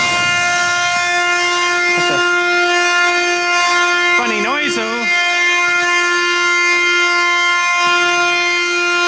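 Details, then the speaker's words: Blowing out cemetery water lines with compressed air, line nearly empty of water: steady high train-horn-like whistle with a brief warble midway as air howls through the line; cause unclear. "that was a funny noise I can't believe it actually caught up to itself that's freaking awesome"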